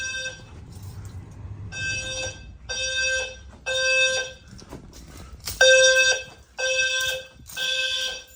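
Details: Home fire alarm system powered up and tested for the first time after programming, with a bedroom smoke detector triggered: loud, steady-tone horn bursts about a second long with short gaps between them. Horns sound normally.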